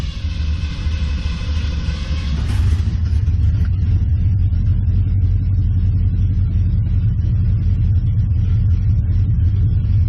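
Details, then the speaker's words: 1969 Mustang V8 after cooling system refill and warm-up, ran decently then began running badly: deep rumble losing rhythm after a brief rev, lumpy at low speed; rough running, owner suspects timing. "it was running fairly decent and then it started running like crap I'm not sure what's going on here but let's try to take it for a test run anyway"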